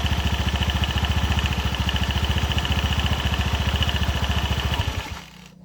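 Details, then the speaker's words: Honda BeAT FI eSP (K44) scooter, complaint of a rattle when engine braking after closing the throttle, running with the CVT cover opened; a fast rattly clatter of three or four beats a second rides the idle, stopping at shutdown. Worn, loose primary pulley collar. "Ada yang mencurigakan ini dari area primer pulu primer. Nah, ini kocak kolarnya sudah haus. Nah, ini yang bunyi, Teman-teman."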